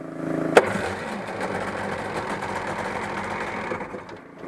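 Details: 1996 Sea-Doo GSX jet ski two-stroke after cracked exhaust pipe was welded, held running to check for leaks: sharp start, then even, steady burble with no misses, pops or surging; no wetness at the weld; normal running.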